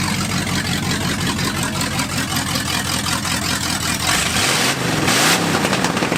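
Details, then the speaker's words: 1979 Ford F150 with swapped-in Mercruiser boat V8 engine, first running: lumpy, uneven idle with a stumbling beat, revs rising unevenly; runs rough and needs tuning, cause not confirmed. "So, we've got some tuning to do."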